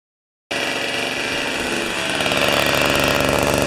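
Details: Old two-stroke snow thrower, long stored outdoors, restarted on choke with 40:1 premix: catches at once and holds a steady, buzzy beat that rises slightly, no sputter or misfire; running cleanly.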